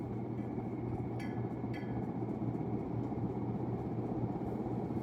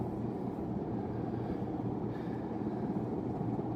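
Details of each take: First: 1991 unknown-brand 42-inch hugger ceiling fan, just installed, first run: steady low hum with a faint buzz, constant pitch, from the fan motor. The noise went away once the light was switched on; slight wobble. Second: Unknown-brand 42-inch hugger ceiling fan from 1991, newly installed: steady, even low hum with no knocking or rubbing. An earlier noise went away with the light on; only a slight wobble.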